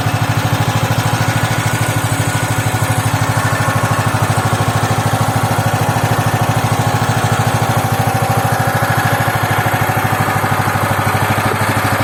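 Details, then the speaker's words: Loncin 15 hp single-cylinder engine, first start with fresh oil and petrol, started on second try: steady even thump about two and a half beats a second; clean idle. "Ланчин 15-сильный, первый запуск. Масло залили, бензин залили. Завелся со второго раза."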